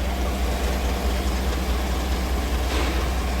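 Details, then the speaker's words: 2018 Chevrolet Silverado 5.3 V8 running rough with misfire: uneven tapping about twice a second at idle, heard underneath, not up top; owner wonders about cracked flex plate, cause unknown. "It's making a noise right now. You hear it? I have no idea what that is. Don't really hear it up top."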